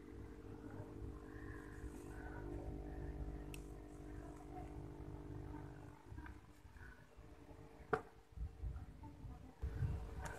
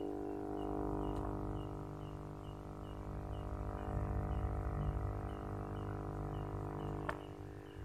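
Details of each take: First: Aquarium aerator air pump after being wrapped in cloth and taped as a silencer: a low, steady hum with a faint buzz, noticeably quieter than before though not gone, with the same bubble output; muffled pump running normally. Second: Aquarium aerator air pump running while connected to the aquarium, before adding a sound dampener: a loud, steady low hum and buzz with faint regular ticking.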